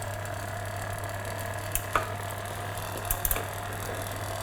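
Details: SRAM Red eTap drivetrain after micro-adjust trimming of the rear derailleur: a smooth low hum with only faint ticks and no chain rubbing on the next higher cog, so the derailleur is properly trimmed.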